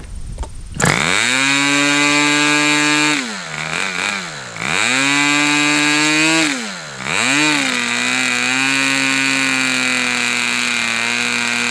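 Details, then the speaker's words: Fox twin-cylinder glow model engine, probably the final run, cooler windy conditions: high, steady full-throttle buzz dipping twice with throttle blips and recovering cleanly; crisp, strong-running twin, run until fuel out. "Okay, I think we're done. Holy crap. This was probably one of the most enjoyable engine runs I've done in a long, long time."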